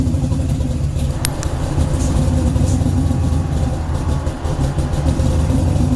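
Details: C10 with supercharged 5.3 (LSA blower, about 5 psi), stage 2 cam, stock 2003 Silverado PCM, before tuning, air ride cycling: a choppy V8 idle that sags and recovers, chasing itself up and down. Hunting idle from a bad tune.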